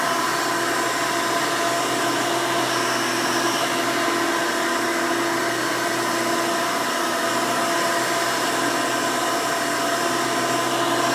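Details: 1992 Hoover Elite II Total System Performance 650 upright vacuum, model U4689-910, bought used, motor untouched: loud steady high whir, no surging, rattles or grinding. Runs very smooth and sounds good.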